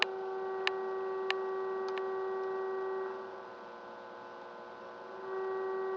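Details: Philco 84 radio under repair with a test signal injected near 460: a steady mid-pitched tone with overtones and a few clicks passes through the audio stage, but no stations come in; cause not yet confirmed.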